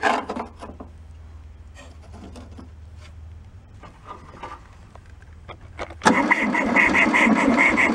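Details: Old abandoned VW Beetle air-cooled engine, fuel bowl filled, 12 V to coil, cranked via starter button: quiet clicks of carburetor fuel shutoff, then even starter churning but never fires; suspected no spark.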